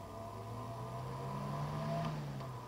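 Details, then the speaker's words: 250mm high-rpm fan fitted as a camping trailer (Airstream) vent with a cheap dimmer at its lowest setting: low fan hum with faint throbbing as the controller cuts and restores power instead of steady current, an annoying pulsing. "그러니까 일정한 전기를 주는 게 아니고 어느 정도 회전이 되면 전기를 차단시켰다가 또 회전이 너무 모자라면 다시 전기를 주는 형식이에요. 이런 식으로. 생각보다 이게 귀에 걸거쳐요."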